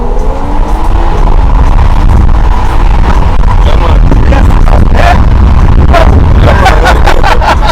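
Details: BMW road test after replacing the coil pack; before the fix it misfired and could not pass 60 uphill. Engine pulls strongly under load with a full, even roar and no stumbles or bucking; misfire gone.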